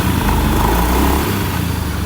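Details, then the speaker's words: Honda Beat eSP (K44) scooter after gearbox/final-drive overhaul, which previously had a rough droning noise: the engine runs with a steady low hum and no whine or drone, surprisingly quiet. "dan itu sama sekali kita enggak nyangka gearboxnya itu bisa sesenyap ini."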